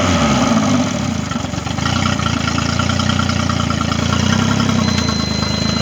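Steady, even outboard burble at idle with no stumbles or misses; the motor starts and runs cleanly.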